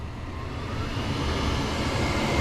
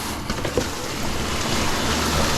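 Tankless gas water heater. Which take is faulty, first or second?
second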